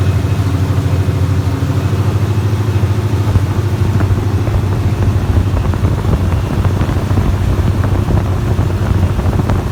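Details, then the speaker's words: 1975 Laguna with a freshly rebuilt small-block 400 V8 on open headers, first start after a faulty neutral safety switch was found: loud, deep, lumpy rumble settling into a steady, even run. "sounds pretty good I think I need a few things on the just some vacuuming to try to figure out but first start it not bad"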